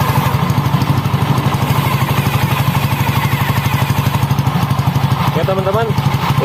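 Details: Honda Scoopy ESP scooter after replacing a damaged CVT roller housing with a stuck spacer and sanding rough panel edges: even, steady beat about three pulses a second, no rubbing or scraping; belt drive runs smoothly, acceleration and top speed good.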